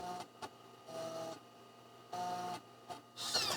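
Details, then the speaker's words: Mac floppy drive after cleaning the top head with Windex, trying to boot from a disk: short bursts of buzzing head seeks and clicks, retrying, then a final rattle; the drive tries but fails to boot. "oh no it tried it tried and then failed so from past experience i know i could just fiddle with this thing kind of forever"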